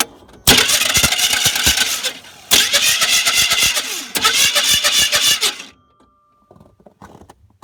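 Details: 1989 GMC truck, 350 engine, quit while plowing and won't crank: three roughly two-second bursts of starter whir with scattered clicks, engine never turns over; starter engages flexplate and torque converter, owner suspects flexplate is toast.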